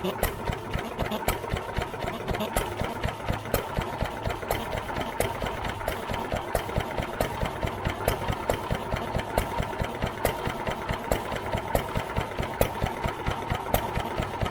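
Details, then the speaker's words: New Idea Vari Speed engine, just restored and choked to start, idling unloaded with the mic near the valve: crisp, even valve clicks a little over twice a second, no knocks or rattles. Sounds healthy. "let you listen to this valve here clicking in there it's working fine so uh"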